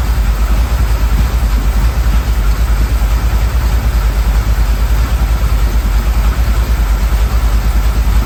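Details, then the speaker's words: 1979 Ford Bronco, 351M V8, idling and warming up outside before carburetor tuning: steady, even low burble around three beats a second, with an odd undertone that is hard to pin down; slightly smoky, cause not yet investigated. "Not sure if you guys could hear that, but it kind of has a to it, so we're gonna look into that."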